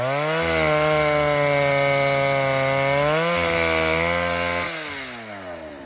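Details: Vintage 1960s Stihl 08S chainsaw, about 60 cc, with a slightly sticky trigger, cutting firewood: clean, high two-stroke scream that bogs slightly in the cut and recovers quickly, no misfires. The saw runs and cuts well.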